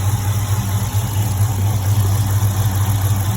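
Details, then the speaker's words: HEMI V8 idle, heard with the hood open and the phone set in the engine bay: a faint quick valve-train tick over the low rumble. It persists after many replaced parts, with no exhaust leak found; cause not pinned down. "I'll show you that even with all the parts that I've thrown at it, the ticking is still very much there."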